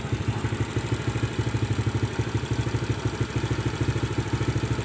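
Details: Honda Legenda motorcycle after cleaning a dirty tank that clogged the hose to the carburettor bowl and setting the standard carb's air screw: even steady idle putter, about three beats a second, no misfire or stumble, clean rise at the end; healthy.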